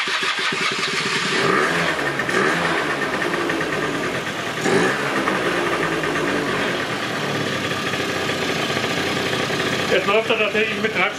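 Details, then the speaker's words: 1996 Rexy 50 two-stroke scooter, barn find, first start after 13 years, running on tank fuel about 10–15 minutes: steady, even buzz with small throttle blips, clean and taking throttle; normal running. "aus dem Tank bisschen laufen gucken an der ist jetzt so 10 Minuten viertelstund gelaufen soweit passt al er läuft der nimmt Gas an"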